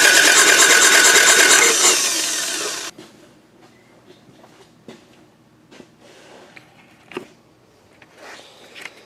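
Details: Toyota Camry demolition derby car with good spark, quick start sprayed: fast, very even starter spin with no compression pulses or firing, then stops; timing belt broken, not moving when cranked.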